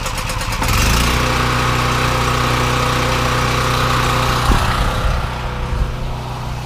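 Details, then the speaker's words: Brand-new Champion 46596 portable generator (4000 starting, 3500 running watts) on gasoline: it starts on the first pull and settles into a steady, even run with no misses or knocks. Normal cold start and idle. "But it started up first pull. You know, it's brand new. I pretty much expected to, but it's always a good feeling."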